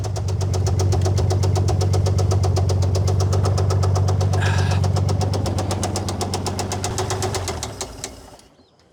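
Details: Old Dodge Power Wagon flathead engine idling with a 12-volt coil and no cooling system. A deep, heavy rod knock about four times a second runs steadily through the idle before the engine dies off.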